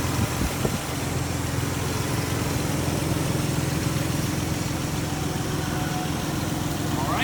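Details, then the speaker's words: 2004 Nissan Xterra 4x4 3.3 L V6 idling steadily with a faint uneven puffing tick on the exhaust note; suspected small exhaust leak, not confirmed. "One thing I will point out, you guys can probably hear it. It does have a little bit of an exhaust leak."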